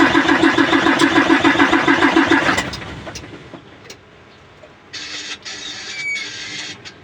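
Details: Hino 700 diesel truck cranking only, won't start: even starter cranking about three and a half turns per second for under three seconds with no firing; air in the fuel system, fixed by bleeding the feed pump.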